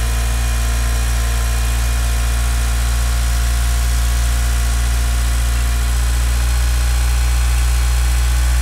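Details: Mitsubishi Galant VR-4 first start after engine overhaul; smooth steady idle with a low even rumble and no lifter tick, possibly thanks to the lifters soaking six weeks in diesel.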